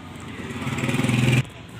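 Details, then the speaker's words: Washing machine dryer motor hums steadily for about a second with no spin-up, stalled and failing to start; a faulty capacitor is blamed, and touching the switch front then risks an electric shock. "मैं सिरे इसके ऊपर लगा लिया और आप देखें ये गूंज की आवाज़ आ रही है। तो जैसे आवाज़ सुने ज़रा, ये गूंज की आवाज़ आ रही है, ऐसे आवाज़ आ रही है, ठीक"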